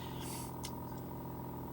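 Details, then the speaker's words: Air source heat pump outdoor unit at the front of the house, ramping up slightly while holding a stable home temperature; quiet, steady low hum with faint even mid tone, no rattles or knocks; normal running. "So yeah, its most efficient use is sort of purring away, and yeah, maintaining a kind of a stable temperature in the home."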